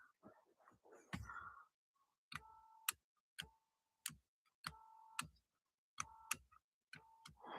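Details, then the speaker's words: Nissan Altima driver's power seat, seat slide switch tested with cover parts removed: short bursts of light electric motor whir in quiet cabin, each cut off with a click; motor runs but drives nothing because drive axles are missing. "Like I said, I can hear that motor working, but it wasn't doing anything. So I'll show you where the axles are missing."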